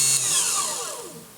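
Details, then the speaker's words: New mini table saw, first power-on with no load: thin high whine that winds down smoothly and evenly as the motor coasts, no rattle or grind; very quiet, normal free-running motor. "oh that's very quiet that's a nice little sound"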